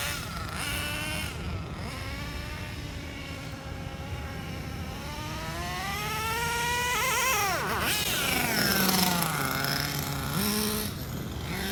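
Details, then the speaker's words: Redcat Earthquake 3.5 nitro monster truck on factory needle settings, cooling head not yet warm: a high buzzing engine revs and shifts into second gear with a slight stumble at low speed, as the low-speed needle is still off. "didn't bog down that much other than when it was in low speeds that's a good indicator that our low speed Edel still a little bit off"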